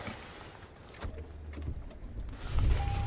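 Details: 2022 Toyota Tundra, cold start outside during a Buffalo NY blizzard at about 14°F: heavy wind hiss and a short crank, then it catches near two and a half seconds and settles into a steady low idle, starting right up.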